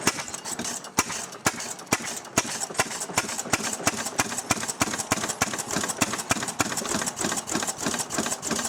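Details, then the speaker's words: Restored 6hp Fairbanks Morse Model Z engine just hand-cranked to life, running on kerosene and hooked to a buzzsaw: slow, even firing beats about three per second with a crisp intake-flapper clack each cycle; steady, normal running. "Alright folks, there we are. Got it running now. It's running on kerosene."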